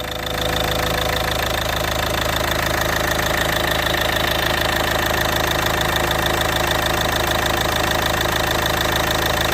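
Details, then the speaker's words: Ford Galaxy 2.0 TDCi in limp mode with P2263 after a turbo rebuild, idling: steady diesel clatter with a faint thin hiss on top; vacuum leak suspected, not confirmed. "I'm sure that came on camera there is a vacuum leak or something along those lines here somewhere which we're gonna have to investigate"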